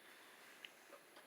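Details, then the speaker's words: Philips Respironics DreamStation Auto CPAP switched on with mask fitted: faint steady soft hiss of air barely above room noise, no rattles or whistles; blower running quietly and normally. "And you turn it on, and listen how quiet it is. I don't know if you can actually hear it."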